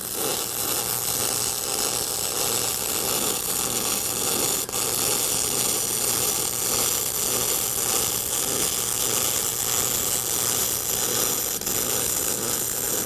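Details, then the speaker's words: Eastwood MIG 175 with spool gun, welding aluminum on 100% argon with wire speed maxed and moving quickly: steady, even hiss and crackle with no pops or sputtering; normal clean aluminum MIG weld. "you should be able to see and hear the sound of what it's like when it when it's uh when it's welding"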